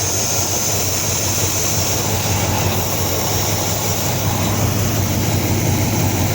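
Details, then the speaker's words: 1953 Ford Customline with swapped 350 V8, temporary slip-on exhaust, new starter, 87-and-up intake manifold; loud uneven idle, beat wandering about three per second with faint hiss; spray test shows intake gasket vacuum leak on both sides, possibly misaligned. "But it's definitely leaking when you spray I don't know if I lined up the gasket wrong, but it's also leaking on this side."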